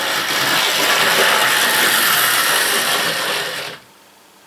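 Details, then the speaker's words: Deep burgundy/maroon model railway locomotive that always stops at the same spot on the track. Busy whirring for about four seconds, then an abrupt cut to near silence as it stalls. Owner plans to clean the wheels; cause unconfirmed. "it always gets to there and then it stops look so i think i'll give the wheels a clean on that one"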